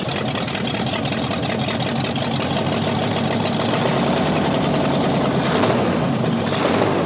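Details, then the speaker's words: Scrapyard 360 V8 Jeep Cherokee, just revived, no oil gauge or key power: steady smooth idle with no valvetrain clacking, so oil pressure assumed present. Normal idle. "And Yeah. it sounds good. It sounds smooth, you know?"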